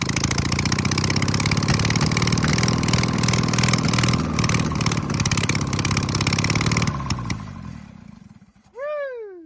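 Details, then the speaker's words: 1968 VW Baja Bug flat-four, barn-stored for decades, first run on hooked-up fuel with no exhaust fitted: sharp, raw, rapid popping bark like a loud lawnmower at steady revs, then shuts down; carb top screw loose, leaking fuel. "It sounds like a really loud lawnmower. Yeah, it does. It does. Let's put the exhaust on it because it's quite loud."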